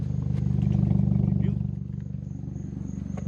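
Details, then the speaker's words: Corolla at idle, loud rough raspy chuffing about three puffs a second heard from the exhaust underneath near the flex pipe; exhaust leak from a broken flex pipe. "um yeah one thing that came up is the flex pipe is broken the flex pipe is broken um so it kind of sounds really bad"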